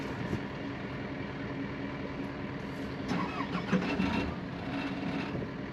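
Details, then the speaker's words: Skid steer loader, fuel filter changed the day before: the engine grinds on the starter for a few seconds before catching and settling into a rough idle; slow start, possibly from fuel starvation after the filter change. "it's okay just keep going he changed the fuel filter yesterday he said that might happen"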